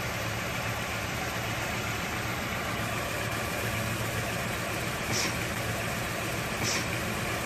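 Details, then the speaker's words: Rebuilt Toyota AE86 4A-GE four-cylinder, after setting ignition timing per the factory service manual and adjusting TPS and throttle body: even, settled idle with a smooth steady rumble and no stumbles or ticking; runs cleanly. "there it is burn like a kitten now"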